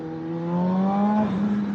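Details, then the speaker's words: Kawasaki ZH2 on a test ride after fixing an electrical/ABS fault caused by wrongly installed rear wheel spacers, codes cleared, correct power mode: smooth rising pull and clean shifts, pulls well under power and downshifts well. Normal acceleration and shifting. "Kept under power pretty good. Downshifted good. Taking turns okay. She feels balanced."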